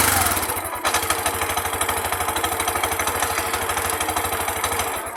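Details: Bajaj RE single-cylinder whose dirty throttle body caused lost idle and misfiring: after four ECU error codes are deleted, an even, steady putt-putt just under two beats a second with no misses or hunting, running cleanly.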